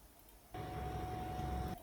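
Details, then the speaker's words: Bus standing still with the driver not turning the wheel: a steady mid-pitched whine from the electric power steering pump rides over the low engine rumble and does not follow engine pitch; it runs normally. "obviously the common street lights have the hydraulic power engine power steering pump but you hear it here it's a bit it's slightly a bit lower pitch here"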